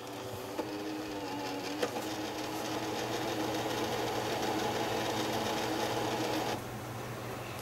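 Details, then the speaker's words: PS3 Blu-ray drive with Gran Turismo disc inserted: persistent mechanical whirring with light repeating tick, then stops; console does not recognize the disc. "know that's not looking right Playstations not recognizing there's a disk in"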